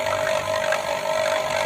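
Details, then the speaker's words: Vacuum pump evacuating a two-door refrigerator with a not-cooling complaint, gauge dropped straight to zero; loud steady mid-pitched hum, no knocks or surging; normal running. "untuk mesin vakumnya juga suaranya kenceng Jadi ini nanti kita tunggu sekitar 10 sampai 15 menit sampai udara yang ada di kulkas benar-benar hilang semua"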